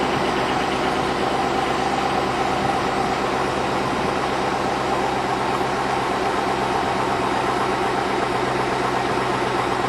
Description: 2002 Chevrolet Avalanche. Piston slap is evident upon cold start.